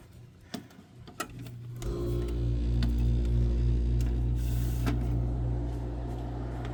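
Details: Air conditioner test run: low motor hum with steady warble pulsing about four times a second; something wrong with the fan motor, cause unclear.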